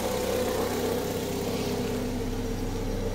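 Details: 2010 Fiat Uno Fire 1.0 idling after water pump and timing belt replacement, cooling system refilled with water only, no A/C, temperature being monitored: even steady idle, smooth low rumble, cooling fan whooshing; runs normally.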